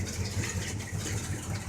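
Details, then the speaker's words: 1984 Chevrolet pickup, carbureted 305 V8, just after a cold start on a cool rainy day: deep, even, lumpy idle with steady pulses, no misses or knocks; sounds like a healthy 305. "it sounds pretty good sounds like a healthy 3:05 to me"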